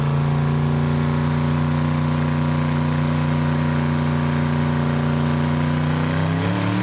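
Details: Almost 2,000 hp Camaro engine, warmed up, on the two-step during a low-power dyno pass: deep steady drone held low, flat, only just lifting near the end; too much dyno load keeps the engine from climbing.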